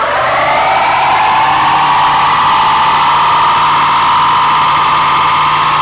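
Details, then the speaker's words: 1972 Chevelle with a Turbo 350, revived after 24 years abandoned, doing a burnout on 24-year-old rear tires: a loud, hissy squeal rises in pitch then holds steady, sounding like a Jetsons car. "Yep. That sounded like a jetsons car. That was the weirdest-sounding burnout ever."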